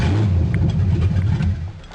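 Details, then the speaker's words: 1982 Ford Granada starting after new fuel pump and fresh gas: engine catches, revs briefly, settles with deep even exhaust, no knock or miss; might be a little rich but runs normally. "alright let's fire it up then all right Ronnie might be a little rich but she runs"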